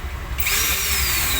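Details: CM4SB marble cutter after an armature change: spins up to a steady high whir with a smooth, even tone, no rattle or grinding; normal running.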